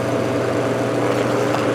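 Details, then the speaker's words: Restored 1949 GE Vortalex 12-inch desk fan at max speed after the wobble was corrected: smooth, even whirring hum with no shaking, wobble, ticking or rattle, running balanced and healthy. "Finally, to max speed. No more shaking, no more wobble, no more fuss, no more muss."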